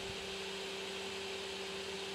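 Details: Creality Ender 3 S1 Pro 3D printer after replacing the Y-axis limit switch: steady whirring stepper hum with a constant low buzz while the bed travels home, no grinding or clicking; axis moves normally.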